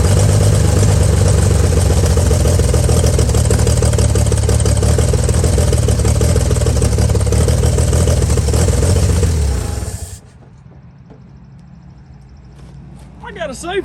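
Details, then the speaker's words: 1955 Chevy truck inline-six that sat about 30 years with a locked-up engine, now running: a steady, even six-cylinder hum with a regular beat for about ten seconds, then a clean shutoff. Runs pretty good. "say for something for 30 years that old truck runs pretty good whatever surprisingly that rat Nest didn't rust a hole in the floor"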